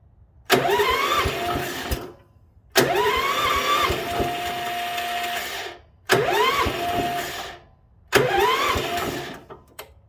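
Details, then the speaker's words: International Harvester 4130 skid steer on blocks, choke on, little throttle: four short cranking bursts that almost fire; owner thinks the starter kicks out believing it has fired when it hasn't. "it's almost firing it's just barely not firing because the starter's kicking out thinking that it has already fired and it hasn't"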